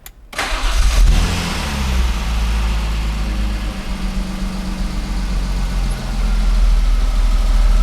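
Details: 1995 BMW E36 M3 revived after sitting two years, first start-up: cranks, fires quickly and settles into a steady, deep idle with no knocks or misses; clean, healthy start.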